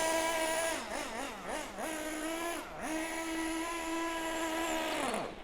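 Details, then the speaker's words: Mugen MBX6T nitro truggy. High-pitched buzz that bogs and sags on each blip, then burbles unevenly at steady throttle; it runs rich. The owner suspects a bad glow plug. "That is super duper rich now."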